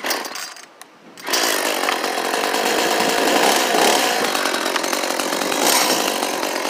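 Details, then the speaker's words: Echo CS-400 chainsaw, first test fire after new carburetor kit and fuel lines, primed and choked, windy outdoors. Fires and screams at high revs but strained and uneven; bogging at high speed, high-speed screw suspected to need adjustment. "wow sounds like the high speed might need a little bit of an adjustment"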